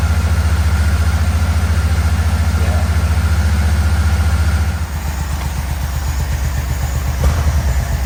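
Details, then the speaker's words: 1987 Yamaha Venture Royale 1300cc motorcycle, first run in a long time, throttle cable not connected: lumpy low idle about 3.5 beats a second, stumbling and dipping partway through; occasional misfire at idle, owner suspects wiring, not confirmed. "we we're having a little bit of a wiring issue still like an occasional Miss right there um haven't tried to see if it'll go into gear but I mean it's idling on that carburetor"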